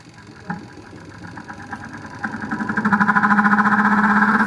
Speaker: तो फ्रेंड्स आपने आगे देख लिया यहां पर इसमें आवाज आ रही थी तो यह हमारे स्पिन ड्रम में आवाज आ रही है